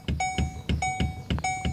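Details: Chevrolet S10 LTZ pickup: six sharp metallic clunks as the steering wheel is worked, seeming to come from the steering column but actually the steering shaft joint below, whose bushings are worn.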